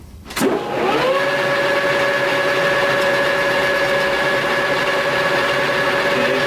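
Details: Lathe facing cut at about 50 thousandths depth on a slightly wavy part. Steady, even hum with a constant tone that holds without bogging down; the cut is well within the machine's capacity.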